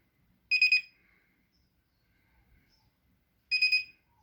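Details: Whirlpool Duet washer WFW9150WW01 will not power on and emits two short bursts of rapid high-pitched chirps about three seconds apart; owner suspects a faulty control board but the fault is undetermined.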